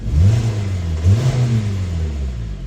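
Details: 2014 Hyundai Sonata with P1326 knock sensor code and knocking, right after the code was cleared and the flashing light stopped: revs rise cleanly in two blips and settle without stumbling or rev cut; owner expects the limit under 2 on the tach to return when flashing resumes.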